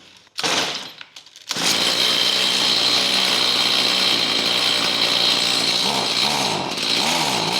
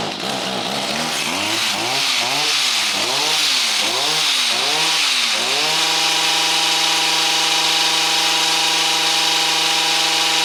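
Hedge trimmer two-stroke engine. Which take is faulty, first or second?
second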